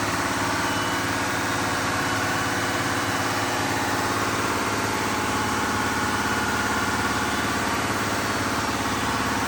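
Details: Diesel fire pump engine on weekly half-hour test with isolation valve closed (churn), giving a steady, even drone of constant pitch with no knocks or stumbles; pulling smoothly, running normally.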